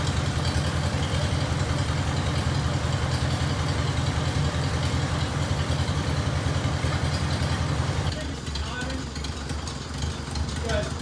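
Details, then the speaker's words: 1949 Farmall Cub four-cylinder, abandoned tractor revived, radiator refilled, running to clear carbon/oil smoke after head cleaning; even chug about two and a half beats per second, easing down at end, runs sound. "all right y'all we got it run it now pretty good"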